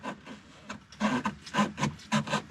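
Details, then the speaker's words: VW Mk1/Mk2 Cabriolet dash vacuum vent selector lever moved by hand: short dry creaks and rubbing squeaks in bursts, rubber fighting rubber without lubrication, so the lever sticks; fixed with silicone lubricant. "it just sounds like rubber is fighting itself and that's actually really easy to fix"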